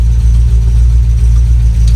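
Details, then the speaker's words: 1967 Volvo Amazon, long abandoned. Steady low engine drone with no grinding or crunch as first goes in; clean gear engagement. "oh good engagement though [Music] I don't I don't I mean we're moving sounds like a new clutch engaging"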